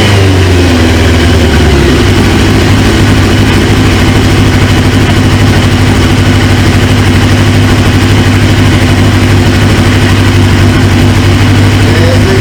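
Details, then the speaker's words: 1999 Suzuki GSX-R 750 with a newly installed used engine, first start: strong, steady note holding clean and even through the revs, no knocks or misses; sounds healthy despite a fuel leak at the high-pressure quick-connect, O-ring suspected. "I seen a drip and then it starts smoking but other than that man this thing sounds good"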